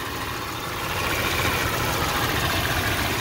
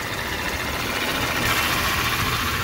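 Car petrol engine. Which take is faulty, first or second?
second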